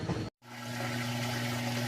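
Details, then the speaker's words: GE top-load washer with full load of towels and jeans, draining after wash before moving to rinse: brief pause then steady low pump drone with rushing water, no grinding; normal drain pump operation. "it is draining and it's gonna move along into the next cycle which is going to be rinse okay"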